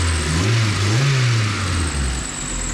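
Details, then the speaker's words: Honda budget AWD build on new affordable 1000cc injectors, VTEC oil pressure switch eliminated, DTCs cleared, idling a little high: engine climbs smoothly through the rev and drops back cleanly, no stumble, popping or misfire; injectors good, normal free rev. "It revs through. So, if it revs through, that means I can drive it. So, injectors are good."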